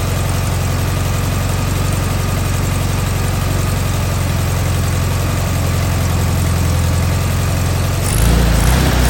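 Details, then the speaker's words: Air-cooled engine just fitted with an OEM Solex 34 PICT-3 carburetor idles with a steady, even putter at about 1,000 rpm, slightly above the 850–950 rpm target; idle slightly high. "Okay, so right now I am at 1,000 RPMs. Ideally, you want to be at 950 or 850."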